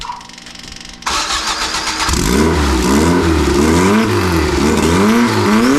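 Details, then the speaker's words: Free truck that had sat with 20-year-old diesel in it, first start with no accelerator pump: starter catches, engine fires and blips cleanly with even firing, making 50 psi oil pressure. Motor sounds really good; normal running. "it uh making 50 lbs of oil pressure. Yeah, it's it sounds good. The motor sounds really good."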